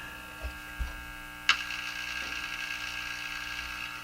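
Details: Japanese Zephyr Model 1 radio at full volume: constant low hum with steady overtones, handling clicks, then rising hiss, after a re-soldered wire that may not be connected; cause of hum not found.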